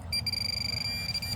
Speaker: So, just to alleviate any issues at all, once again, turn it on in open air and wait for that [music] third beep and then go down to the ground.